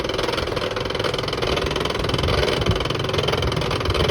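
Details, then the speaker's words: HP LaserJet 1018 laser printer at power-on, with the toner cartridge removed to rule it out, making a steady rough grinding rattle about twice a second; it also fails to pick up paper; worn motor pulley gear. "हम इसको जैसे on करते हैं तो इस तरीके की आवाज करता है घड़ घड़ की आवाज करता है"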